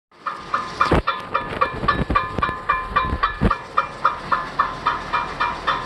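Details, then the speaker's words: 2005 Cadillac STS AWD, wheel spun on jack stands after front shock, lower control arm and axle replacement: regular metallic scraping rub three to four times a second, once per wheel turn; small heat shield touching the brake rotor, fixed by bending it away. "it's a heat shield right behind right behind there it's a tiny heat shield the rest of it doesn't have one but that's all it is"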